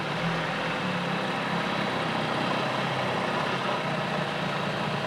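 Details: 1975 Johnson 25 HP two-stroke outboard, first runs after about four seasons sitting. Idling in gear under heavy wind noise, the beat is a little uneven; the idle is improving but not quite right yet.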